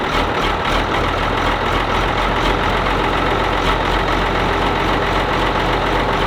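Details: Ford TW25 turbo diesel tractor just after filter and oil change, cranked with stop out to oil the turbo first; even diesel clatter settles into a steady idle with no misses or knocks, engine running properly.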